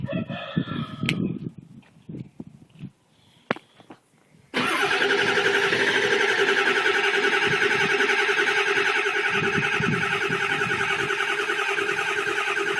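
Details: 2002 Ford F250 7.3 Powerstroke diesel, first crank after sitting overnight at about 50°F, with white smoke: scattered clicks and turnover, then it catches and runs steadily; hard cold start, owner suspects glow plugs and weak batteries, new glow plug relay didn't help.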